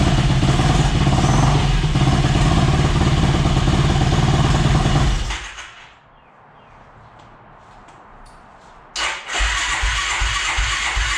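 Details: Yamaha YFZ450 (about 2006) on a stand with new fuel line, tank on reserve: runs steady and fast five seconds, cuts out, refires and settles; healthy idle, airbox off pending tuning, fuel valve leaking.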